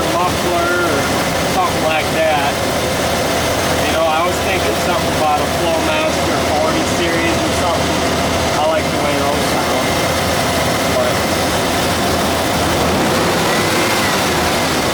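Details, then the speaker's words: 1991 Ford F-150 V8, about 97,000 original miles, E4OD four-speed heavy-duty automatic, stock exhaust: steady even idle with soft low burble, no knocks, misses or ticking; runs nicely, normal. "but it uh starts up and runs pretty nice here I'll start it up it's just the stocking off so that mean it doesn't make too much noise"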